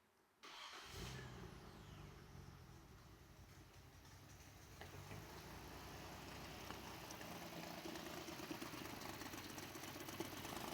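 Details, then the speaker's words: Nissan GTR R34 V-Spec at diagnosis, oil clean and slightly overfull: cranks, catches and settles into an uneven shaking lumpy idle, with a puffing exhaust leak at the rear; cause of roughness still being traced cylinder by cylinder. "definitely has an exhaust leak in the back you can hear it it's like farting around back there we'll have to address that separately um but still not smooth though"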